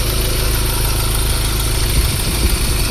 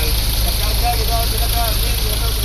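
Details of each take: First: Ford Ranger diesel idle before repair: constant rough rattle and whir from front belts, pointing to failed alternator overrunning pulley and worn tensioner bearing. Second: Ford Ranger diesel idling after replacing belt and tensioner bearing: steady, even low drone with no chirp or bearing whine; pulleys and bearings sound healthy.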